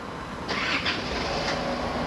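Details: Isuzu D-Max 4JK1 2.5 diesel after the rail was refitted: cranks briefly, catches and settles into a steady diesel run; rail pressure now rises, though injectors 2 and 3 read poorly.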